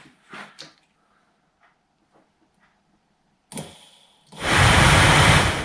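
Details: 2006 Vauxhall Corsa C 1.2 interior blower motor that worked only on setting 4, bench-run after oiling stiff bearings: a few knocks, then a steady loud whoosh with a faint hum; still rough and noisy, water traces inside.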